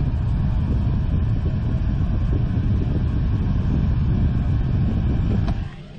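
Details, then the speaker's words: Newly installed Espar D4 diesel heater on a boat: deep steady combustion rumble with blower air, cycling up on its own about four times and delivering warm air; normal start-up. "You can hear that cycling up. Alright everyone, I just cycled it. It just cycled through on its own about 4 times."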